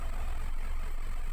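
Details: 2015 Subaru idling after a DIY engine wash: low, even rumble with no knocks, misses or rattles; steady, smooth idle with no check-engine light.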